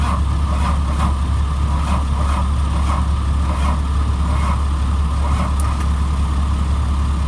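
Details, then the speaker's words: 2003 Blue Bird All American 72-passenger bus, empty fuel gauge, run on starting fluid with new batteries and weak jumpers: deep, steady engine drone with no misses or stumbles; normal running. "jumpers are kind of weak so but it does run when i say it runs it runs water sounded good"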